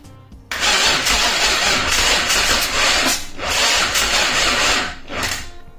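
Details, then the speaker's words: Mazda MX5 with Rocketeer V6 swap kit, first start attempt, battery sounding weak: starter cranks steadily in long bursts but it never fires; fuel pump not heard priming, so its relay will be bypassed. "I couldn't really hear the fuel pump priming when I was turning the key, so what I'm going to do is bypass the relay for the fuel pump."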